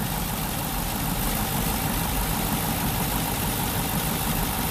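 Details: 2006 Buick with 4.6 Northstar V8, code P0300 and a rough-idle complaint; uneven, shaky idle with an irregular stumble under a low rumble. The misfire is traced to one ignition coil with a shorted primary winding.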